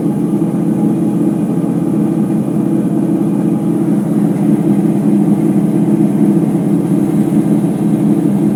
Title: Ipso HF 65 commercial washer final spin with bad bearings